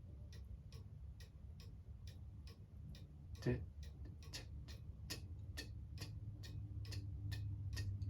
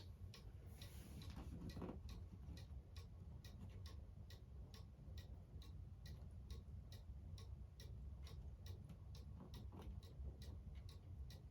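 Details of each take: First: Cuckoo clock hung on the wall during setup, pendulum on and weights wound: steady ticking about three a second with a slightly lopsided tick-tock; out of beat, corrected by shifting the clock left or right by ear until even. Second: Cuckoo clock on the wall after being shifted left or right by ear: steady, even tick-tock about two beats per second, every beat equally spaced; the clock is now in beat.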